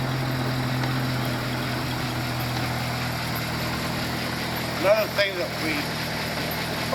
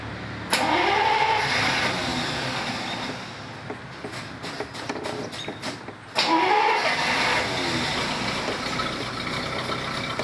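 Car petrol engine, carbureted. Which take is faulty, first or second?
second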